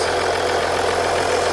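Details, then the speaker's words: 2014 Audi Q7 3.0L after valve cover gasket replacement, no oil or fuel leaks found: short smooth even idle hum, no ticking, knocking or stumble; engine running healthy, repair done. "so now I'm going to turn off the engine so we can wrap up this video so this engine sounds good"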